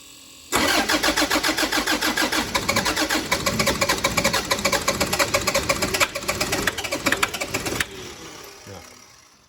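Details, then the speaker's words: 2013 Toyota Prado 150, over 300,000 km, new long motor and new turbo: long, steady cranking about three and a half beats a second that never catches; one connector was left unplugged. "Well, that didn't go to plan. So, let's uh we haven't had that one before."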